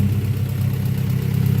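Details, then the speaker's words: Honda Prelude, 150,000-mile chassis, engine swap, harness thrown on as-is, open exhaust manifold: loud, even exhaust pulses at steady idle, raspy, no misses or knocks; sounds healthy, normal idle. "But yeah, guys, she's running. Sounds pretty healthy."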